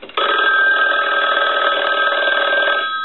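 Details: Yellow Western Electric rotary dial 500 desk telephone, final checks: loud bright fast-trilling ring nearly three seconds, stops cleanly; bell rings properly.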